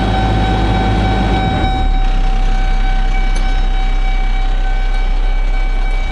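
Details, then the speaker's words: Automatic snowplow truck (big engine put in) with air brakes at a farm auction, low air pressure, engine light on, good oil pressure; deep steady diesel rumble with constant high whine, no knocks or misses; normal running. "automatic oh sounds like a big engine air brakes low air pressure engine lights on good oil pressure"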